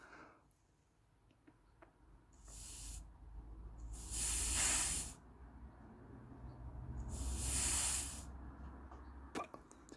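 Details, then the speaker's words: Carburettor plastic float, air blown through fuel inlet tube: hiss through needle valve in short bursts cuts off as float reaches roughly parallel; valve seals properly despite float resting low. "so you can hear the point at which the fuel will be shut off is pretty much parallel"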